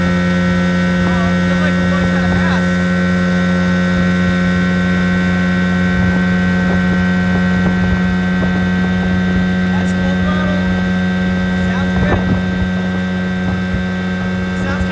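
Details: 1980 Evinrude 15 outboard after carb kit rebuild, new impeller and fuel pump, first hole shot at full throttle about 31 mph: strong steady drone, no misses, surging or rattles; pulling cleanly.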